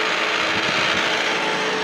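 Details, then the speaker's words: Taco boiler circulator pump motor in a bar, greased and fan-cooled, bearings failing: constant motor hum with dry raspy grinding hiss on top; worn motor bearings, still running before replacement. "It sounds like we're still running. So Friday, it's not gonna be running for long."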